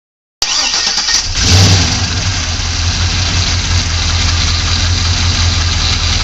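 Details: 2002 Pontiac Trans Am LS1 V8, just rebuilt, fires up and settles into a lumpy idle with a faint steady knock under the rumble.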